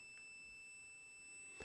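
A steady, high-pitched beep sounds continuously in a quiet room; the meter shows continuity, so the fuse is good.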